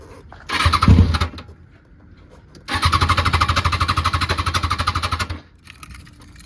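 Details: Kawasaki ZX6R with new fuel pump, cleaned intake, new plugs, fresh gas and injector cleaner catches briefly and stalls, then cranks fast about three beats a second without running; cause unknown.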